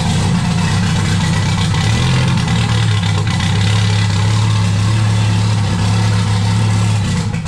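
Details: Turbo Jeep on Megasquirt MS3X with 80 lb EV1 injectors, started after cam sensor reset: low uneven idle wavering and dipping, throttle worked to keep it running; unstable idle, suspected air starvation, idle air control valve taken from a long-weathered motor.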